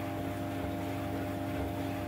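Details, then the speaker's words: 15-year-old White Knight 37AW tumble dryer after repair of a grinding noise with new parts and belt realigned; steady even hum with low drone, drum turning smoothly, no grinding or scraping; normal running. "put the little video i did of the noise it makes or was making in with this one so you can hear the difference but that is a lot different and the belt's almost lined up"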